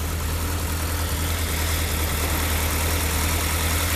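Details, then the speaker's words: Rover P6 started in cold English weather about three weeks after its last run: a steady, deep, even idle with no knocks or misses; it starts reasonably well apart from a starter motor issue. "Oh anyway like I said um she's all starting up reasonably quite well actually with no e cups part from that starter mot"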